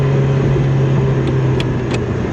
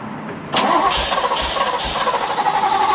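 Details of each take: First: Ferrari 308 driven after 15 years off the road: clean even pull above 2,000–2,500 rpm with no misfire or stumble; runs nicely in the mid-range, though it misses and cuts out low down. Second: Ferrari 308 first started in about 15 years, after a new ECU, wiring repairs and a fuel fix: it would not start until the key was turned while pulling the fuel pump item, then it cranks briefly and catches into a somewhat uneven idle. Owner suspects a fuse.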